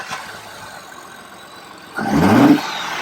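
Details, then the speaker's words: 2021 Ford F150 EcoBoost first start after installing AFE Rapid Induction cold air intake: quiet idle, then quick blip with climbing note and light turbo whoosh, now more audible; starts and revs cleanly, healthy. "Oh yeah. Definitely hear the turbo now. Definitely has some sound to it. Think it looks and sounds pretty awesome."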